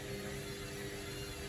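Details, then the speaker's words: Candy Grand O Vita GV 139 D3 washing machine found on the kerb, on a 14-minute rapid test wash, stuck near 3 minutes remaining before spin with the pump running. A steady mid-pitched motor whine over a low rumble as the drum turns slowly. Likely struggling to balance the load. "It's probably struggling to distribute the load for a spin. I have a feeling that's what's going on here. So it's trying to get that load settled in there. You can hear the way it's whining."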